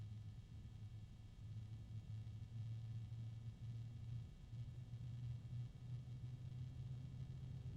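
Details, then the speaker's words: ID-Cooling DashFlow 360 XT Lite AIO radiator fan (AF-125-K / ID 12025M12F), starting at low voltage and running up in speed: low, steady grumbling hum wavering slightly in strength, a grumpy sound, cause unknown. "Starts up at a pretty low voltage. It actually can go from starting voltage down to a pretty good speed. It has kind of a grumpy sound."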